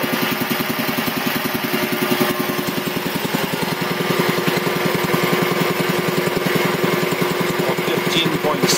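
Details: 1975 Quincy QR 325 compressor (pump ROC 10), converted from 3-phase to GE 5HP TEFC single-phase motor, smaller pulley slowing the pump from 796 to 621 rpm; building pressure with fast, even chugging and no knocks. Runs nice and quiet, normal.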